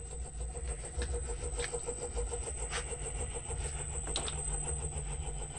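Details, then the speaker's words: Reeder 2x72 belt grinder, 2 hp Hallmark AC motor on KBAC-27D VFD, belt off, 40% speed: steady hum with faint rapid ticking; vibration seems inside the motor, owner suspects cooling fan imbalance or the VFD, unconfirmed. "it almost sounds to me like it's coming from inside the motor I can almost feel it"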